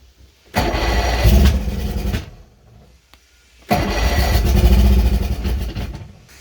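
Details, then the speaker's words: Chrysler Courier boat engine during rebuild, water not connected, no fuel: two cranking bursts with brief firings that die away; owner plans to add fuel and tune it up. "I guess I'm gonna have to get some fuel in here and get it tuned up to run properly."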